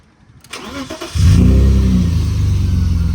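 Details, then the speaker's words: BMW E34 with M50 engine after fuel pump replacement fixed a no-start; starter whirs briefly, engine catches at once and settles into an even, steady low idle with no stumble or hunting. "starts on the button now, which is what it wasn't doing, and it idles pretty stable as well."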